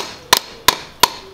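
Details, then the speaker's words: Kia Grand Carnival crankshaft damper pulley, removed and struck by hand beside a new genuine Kia part: four sharp strikes ring on metallically instead of giving a dull thud, showing a worn damper pulley. It caused a squeaking, bird-like engine noise. "There's a shaking sound. It needs to be a dull sound, but it's kind of like a furry sound"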